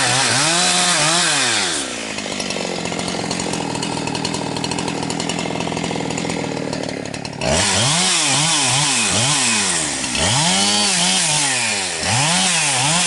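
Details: Husqvarna 362XP Special with wrong ignition coil and Walbro carb, cutting firewood: high scream breaks into uneven gargling burble as revs climb, cutting out near 11,500–12,000 rpm, barely 10,000–10,500; fine near 9,000 rpm; not carburetion, four-stroking from rpm-limiting coil.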